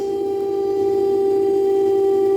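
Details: Daewoo DD inverter 9 kg washer/7 kg dryer during spin: loud, steady siren-like whine, not from the bearings but from the Hall sensor on the motor stator; replacing the Hall sensor cured it; motor whine from Hall sensor.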